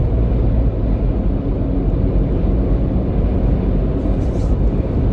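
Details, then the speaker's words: 2021 Ford Bronco Hard Top 2.0, cabin while driving after fixing hardtop squeak/chatter by adding Sonic Barrier foil-butyl foam damping to the roof seal edge: steady low road rumble, no rattles or squeaks, little wind hiss; quiet cabin. "But so far, this is really good and really quiet."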